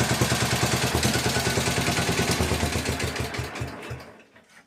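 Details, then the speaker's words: 1961 International Harvester Cub Cadet Model 70 with 7hp Kohler single-cylinder, restarted on choke at half throttle; fires briskly and evenly at steady speed, then winds down and stops. Runs well; rattle is the tank. "But she runs good. It's not the engine rattling. It's like the tank and shit. Runs good as hell though."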